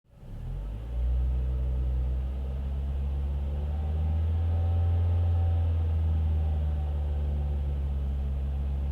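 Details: Ford Fiesta ST 150 engine: a deep, steady drone with a loose, uneven beat about three times a second, an odd cranking-type noise under full load both in gear and out of gear. The cause is unclear.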